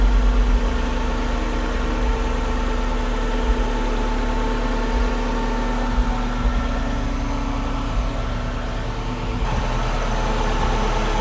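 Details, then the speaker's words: Volkswagen Vanagon transporter with Subaru EJ20 engine swap, just started: smooth, steady hum holding a raised idle of about 1,000–1,200 rpm without stumbles, slow to drop back to idle; sounds healthy. "Okay, so I think we're idling at about 1200 now. Yeah, just over 1,000. Sounds really good."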